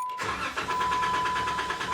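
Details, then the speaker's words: Jeep Wrangler JKU Rubicon, 3.6L Pentastar, just after an oil change, one year and 4,000 miles after Dorman oil cooler housing install: wide-open-throttle crank, so the engine spins evenly and quickly without firing, no rattle or knock. "where you put your foot flat on the floor on the gas and turn and start it and the engine won't start it just turns"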